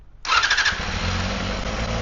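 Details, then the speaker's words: Honda CBR250RR MC22 four-cylinder, after more pilot-screw fuel on cylinder one and a carb sync: short starter whir, catches without throttle, settles into a smooth even idle; starts and idles cleanly. "See that? I just hit the starter. I didn't touch the throttle at all."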